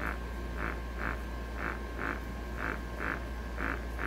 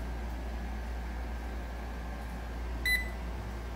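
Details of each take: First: MRU handheld gas analyzer leak-proof test failure: sharp alarm beeps about once a second over a low, steady pump hum, as the pump cannot hold vacuum, unlike a recently serviced good analyzer. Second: MRU handheld gas analyzer, recently serviced unit, leak-proof test with intake looped to the pressure sensor: steady low pump hum pulling against the blocked intake, one short beep; good vacuum, seals fine.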